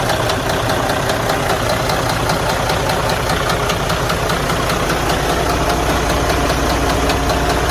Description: IN THIS CASE, THIS DD13 ENGINE WAS HAVING A VERY LOW KNOCKING SOUND FROM IN THE INTERIOR OF THE ENGINE. SADLY HE ENGINE NEEDS TO BE OPEN TO INVESTIGATE THE INTERNAL DAMAGE.